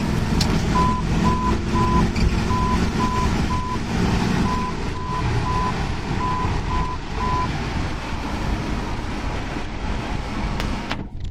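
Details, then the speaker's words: Jeep WJ Grand Cherokee on a test drive for stalling and surging: steady row of short high beeps about four a second over low road rumble, the hood-ajar switch alarm. "That alarm is just the hood switch."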